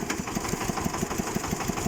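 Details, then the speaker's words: Xingtai 244 Chinese tractor diesel while driving: fine at low speed, but a sharp, regular knock of about six beats a second appears as revs and load rise; engine knock, cause unknown. "Оборотов чуть больше начинает нагрузку. Стук-то появляется."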